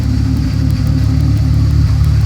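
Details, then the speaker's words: 2002 BMW 330Ci at normal operating temperature with service light on and nine stored codes including P0300 random misfire: deep, slightly uneven idle rumble, strong misfire caused by vacuum leaks. "el motor se está comportando bastante extraño con un alto miss fire"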